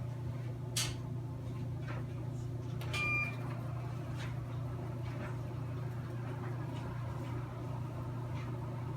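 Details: Ionvac SmartClean 2000 robot vacuum (model 7687), cleaning paper mess after starting from the dock: even low motor hum with a few light knocks from paper and bumps; running normally.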